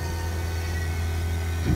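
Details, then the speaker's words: Vacuum pump evacuating a car AC system through a single hose on the low side: steady low pump drone that briefly shifts and bumps near the end as the valve opens to the system; pump running normally. "okay so we're now evacuating through one single hose on the low side and it's bringing down the vacuum entire system"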